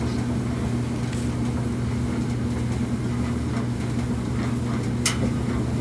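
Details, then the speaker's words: Kenmore gas dryer (model 4620) after gas valve replacement: steady low drum rumble with even hum and one brief click near the end; normal running. "And there's fire. And so in like 30 seconds in you get fire."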